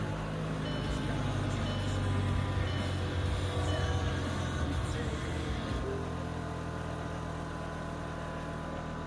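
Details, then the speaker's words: VW Jetta with a draining battery at 12.5 V after a below-10° night: petrol engine catches and settles into a steady, even idle with no misses, charging at 14 V. Owner suspects a mouse-chewed wire causing a short. "all right well that was unexpected I honestly thought it wasn't going to start and it's great to see that it's at 14 right now that means that it's charging"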